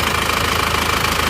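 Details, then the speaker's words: Isuzu Panther diesel after engine overhaul (broken crankshaft/shaft failure 1 month and 200 km after previous rebuild), first start after repair with used parts: even diesel clatter at steady idle, regular rhythm, no knock or misfire; normal idle. "nah ini sudah hidup teman-teman hidupnya seperti ini suaranya seperti ini ganti bekas semua"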